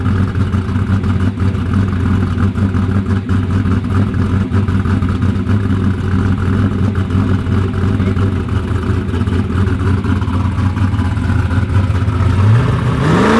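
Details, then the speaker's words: Drag-race LS V8 after intake swap: deep rumble doesn't drop back cleanly after throttle blips, hanging at about 4% throttle; not running rich, throttle needs a stronger return spring. "That it don't want. It hangs at like 4% throttle. Yeah, it needs more return spring on it."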